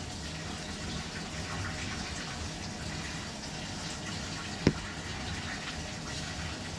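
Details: Frigidaire laundry centre washer that would not start, lid locking only, after repair: steady gushing rush of water with one sharp click midway; washer filling normally.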